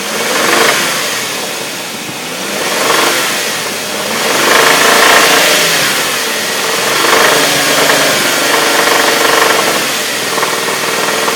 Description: Is it a lifter, valve, or timing chain? Anybody recognize that knock help me out :) thanks